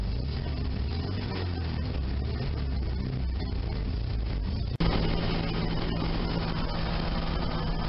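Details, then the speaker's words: Sunbeam Alpine after valve lash adjustment (cold .015 in intake/.017 in exhaust, then hot .010 in/.012 in) and re-torqued head, in neutral: even steady low idle, no ticking or misses; running smoothly. "all right mission on neutral that sounds real nice"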